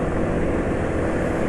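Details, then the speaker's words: Vehicle engine after draining Shell HX3 and switching to Yamalube Marine 10W40 boat oil, riding at speed. Steady drone with wind and road rush, still smooth with no "sak-sak" noise, though 10W40 makes some engine clatter audible. Normal running. "Dari sisi halusnya masih tetap halus, suara sak-sak masih belum terdengar."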